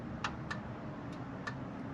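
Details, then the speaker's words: Cheap old Jeep with an automatic transmission: sharp light clicks every quarter to half second over a low steady rumble. The source is unclear; the stabilizer links are falling apart and the front track bar is broken off. "something's clicking so I'm gonna start by probably getting a suspension kit or placing everything there because even the stuff that's not broken what's that noise"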